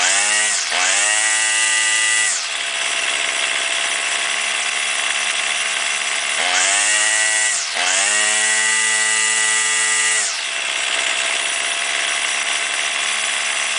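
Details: Warmed-up two-stroke weed trimmer, string out to cut line for load, high buzzing revs sag and stumble twice then recover as the carburetor mixture screw is turned to its lean and rich bogging limits.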